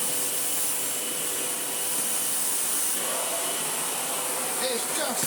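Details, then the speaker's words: Sebo ET-H powerhead on a Sebo Airbelt C3 vacuum: steady airy roar from the motor with the brush roll spinning evenly, no knocks or rattles; powerhead running as it should. "as nice as I remember it oh and it even does try and glue this rope an absolute tree oh very nice indeed"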